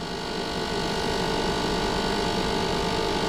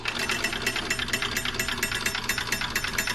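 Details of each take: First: Old DunHot popcorn popper, cooling fan running after oiling, blade possibly out of balance, top cover screws left untightened: steady fan whir with fast uneven buzzing rattle; rattle from loose top cover screws. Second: DunHot popcorn popper from an estate sale, after tightening loose top screws that had been vibrating: light, quick, even ticking at a steady pace with no buzzing or rattling; it runs quietly and normally.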